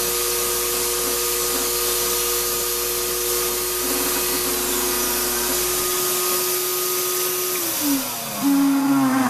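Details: Shop-Vac vacuuming coarse tumbling grit gives a high rough whine, then a wavering pitch drop as it winds down; dust that went through the motor before a dust separator was fitted pretty much destroyed it, and it runs poorly.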